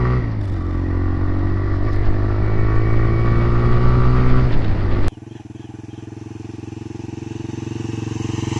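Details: TVS Raider 125 single-cylinder motorcycle: deep, even thump picking up smoothly with throttle, then a steady lighter beat; normal running.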